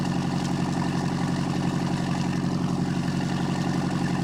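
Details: 1976 MerCruiser 120hp, after carburetor work (Sierra 18-7070 kit, fogged top end) for an acceleration dead spot, idle screws backed out another 3/4 turn, heard from behind at camera: steady even low idle thrum with no misses, knocks or ticks; runs smooth.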